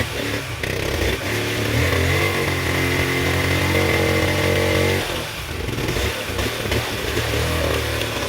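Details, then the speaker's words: 1972 Honda Z50A K3 after total restoration, first start on third kick with eyeballed timing: small buzzes and revs with an odd mechanical clatter over the exhaust; not an exhaust leak but an incorrectly installed automatic clutch, possibly assembled backwards. "well to the astute viewer a little bit of foreshadowing that noise was present and it wasn't an exhaust leak it wasn't normal"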